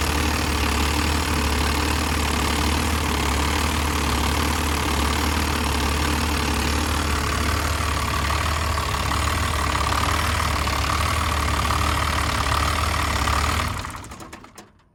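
Diesel idling with an uneven, lumpy knock at a few beats per second before shutting off; rough idle, cause uncertain. Cause suspected, not confirmed.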